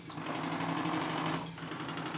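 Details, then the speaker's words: Live-steam RC Clyde Puffer coaster Kilchoan (11 kg), first test after sealing leaks and fitting accessories, running in reverse: light, quick, even ticking chuff, no knocks; owner suspects the small propeller's pitch makes reverse more efficient. Normal running. "il est possible que la petite hélice est un pas qui en marche arrière lui permet de fonctionner plus facilement"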